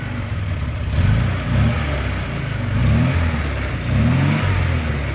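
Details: Škoda 1000 MB/1100 MB De Luxe, first start after 15 years: small petrol engine idling low and steady with a few smooth throttle blips rising and falling; runs clean.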